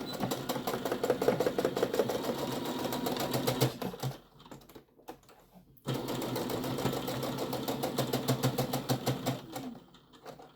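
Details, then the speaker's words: Sewing machine stitching the bottom seam of a lined tote bag: fast, fairly regular clicking through each burst of stitching, stopping between seams. The owner says it clicks like this when it gets dusty inside and needs a dusting. "I have to give my machine a dusting on the inside it's my machine kind of makes that clicking sound when it gets a Dusty inside"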